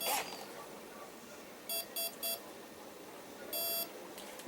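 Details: Pentium 60 A airplane ESC after replacing a bad driver, battery connected: three short high beeps in quick succession then one longer tone; arms normally on power-up, motor afterwards spins smoothly.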